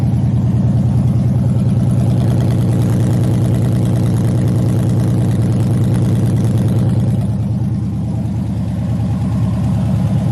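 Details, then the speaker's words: LS-swapped 1986 El Camino, 5.3 with Camaro heads, cam and LS6 intake, first fire-up on open headers with no exhaust yet; loud uncorked V8 with a steady choppy lope about three beats a second, even and strong; normal idle. "and there you guys have it man 5.3 Camaro heads cams LS6 intake and I think that's pretty much it"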